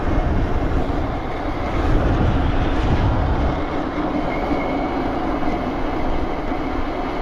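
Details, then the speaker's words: BBSHD mid-drive e-bike on a Phaserunner V6 controller, riding under power: harsh rattling drone with a faint high whine and rough uneven drivetrain clatter; rider says it sounds terrible and suspects the chain tensioner. "wish I could fix that noise. It sounds terrible."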